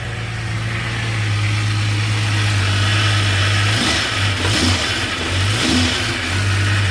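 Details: 1989 Jeep Cherokee XJ Renix 4.6L I6 stroker, first start after replacing one piston for piston slap (knocking began after 700 miles): smooth, steady idle with a few quick throttle blips, no knocking or slapping.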